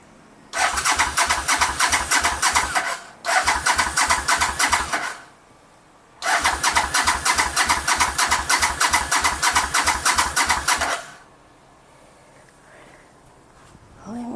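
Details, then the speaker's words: 1985 Honda VT500 after engine rebuild, first start attempt, choke on, waiting for fuel to reach carbs: three long bursts of fast, even cranking, never fires; owner suspects fuel not yet reached carburetors. "I mean I heard the engine crank up and it sounds good so I'm just gonna let time for the fuel flow to the carbs and I'll start it up in a time right now choke is on"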